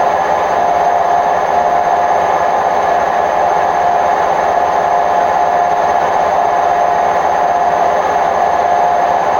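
Loud, steady roar through the whole high-speed spin, with a droning tone that never settles; the drum bearings are worn out.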